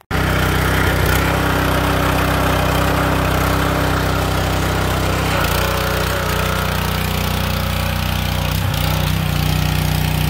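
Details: Kohler SH265 6.5 HP single-cylinder engine newly re-powering an old pressure washer (replacing weak Honda), test run under pump load; steady fast beat dipping slightly as pump draws then recovering; normal running under load, powerful output.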